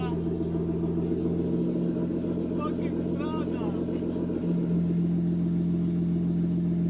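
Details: BMW E36 after 8 months in the garage and a poly bushing and rear suspension rebuild, just started after priming the fuel pump: steady even hum smoothing out after a few seconds, no stumble or knock; running normally.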